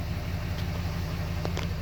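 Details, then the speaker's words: 6.7 Cummins just started after a crank-no-start with cylinder 1–4 injector-open codes; codes now cleared. A steady, even low diesel rumble with no misses, knocks or surges: normal, healthy idle. "boom there we go so now we're running engines running"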